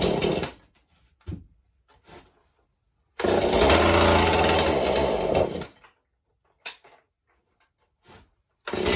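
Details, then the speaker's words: Husqvarna 435 chainsaw, likely mixed fuel, good compression, purge bulb replaced: catches a couple of seconds, revs raggedly, dies between short sputters; poor running, carburetor needs going through. "all right the way it's acting need to go through the carburetor so we'll start tearing this down a little bit"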